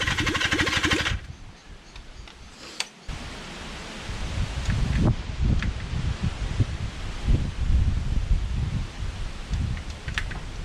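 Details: Kawasaki Zephyr 750 under restoration, carbs just fitted after ignition fixed, cranked with a bit of choke: starter turns engine over steadily for a long spell with no firing. Cranks but won't start, out of fuel.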